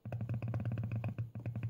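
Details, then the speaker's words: Karl Storz SCB Thermoflator 26432020 medical insufflator (2006), bench teardown, 12 V PWM-pulsed voice-coil variable valve: quick buzzing bursts with low hum about ten per second, speaker-like; valve working normally. "it sounds and moves a little bit so it sounds exactly like a speaker and that is what it is we have a coil a voice coil that moves"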